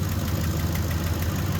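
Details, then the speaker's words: Ford F-150 cold start after oil change: faint quick ticking under a deep engine rumble at idle on both banks despite replaced manifolds and new stainless bolt kits; suspected exhaust manifold leak, not confirmed. "the exhaust manifold ticking again and it's both sides"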